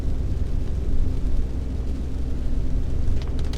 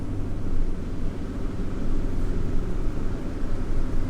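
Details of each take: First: Honda Accord, before repair: deep, steady growl under the cabin that gets louder with speed, unlike tyre noise, which is loudest while decelerating. Worn wheel bearing; the noise disappeared after the bearing was replaced. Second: Yage, road test at cruising speed after the wheel bearing was replaced: steady low road rumble, no growl rising with speed, the noise clearly gone; quiet wheel bearing.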